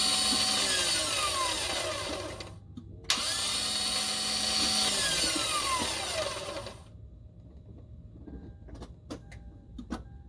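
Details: 2003 Toyota 4Runner 4.0L with its original starter, failed at 408,465 miles: two bursts of high whirring that wind down freely with no engine turnover; the starter spins but won't engage the flywheel.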